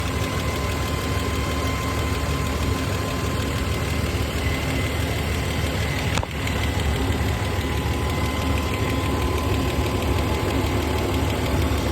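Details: Toyota 1FZ-FE six-cylinder truck engine idling steadily with a fast, light ticking over the low rumble; engine ticking at idle.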